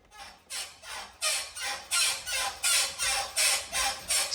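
Sharp, high creaking squeaks repeat about twice a second as the body rocks: a dry front ball joint.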